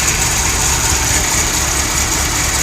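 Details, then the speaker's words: VW Jetta with an exhaust leak, new plugs, wires and rotor, and a replaced O2 sensor: a loud, uneven, lumpy idle with audible misfire, then the engine dies, with a strong fuel smell; rough idle, cause unknown. "as soon as I all right good Idol this time you can hear the exhaust you can hear the misfire and then boom dies out"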